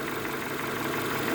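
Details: Renault Megane 2 petrol engine, fully warm at idle: light, regular tapping knock that disappears when revved to about 1000 rpm; owner suspects wear from high mileage; not confirmed.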